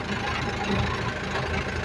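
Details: JAC light truck in gear with a rear wheel raised and spinning: steady low hum under the idling engine from the rear differential; low differential oil is suspected but not yet checked.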